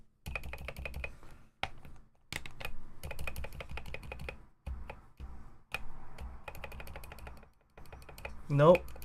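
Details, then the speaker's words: Ducky One 2 Mini keyboard with silent switches during re-lubing: bursts of key presses, each with a small sharp tick on the stroke; the switch needs more lube. "Still getting that ticking sound like you can hear it. So, we do need more lube in there."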